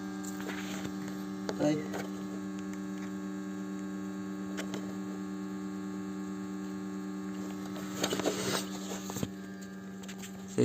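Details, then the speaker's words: BMW 520i E60 during coolant change and bleeding, ignition on, engine off, heater at maximum, fan at minimum: steady low electric hum with faint buzz, phone held close, as the auxiliary coolant pump runs normally, vibrating, water audibly moving. "maintenant on va y aller et tu verras comment fonctionne la pompe tu peux entendre si on met la main dessus on remarque qu'il vibre on entend même l'eau bouger"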